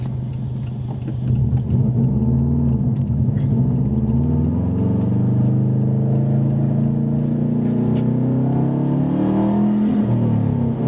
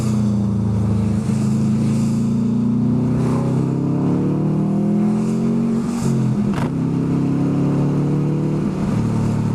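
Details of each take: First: Subaru WRX at full throttle under heavy acceleration, misfiring. Uneven, stumbling beat as revs climb; owner suspects an air problem, spark plugs to be pulled. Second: Subaru WRX turbo four, warm, accelerating hard on test drive after fixing cylinder 1 misfire (P0301) under heavy acceleration; cause was a bad coil pack, not the suspected injector; revs rise and fall smoothly, no stumble or popping; normal acceleration.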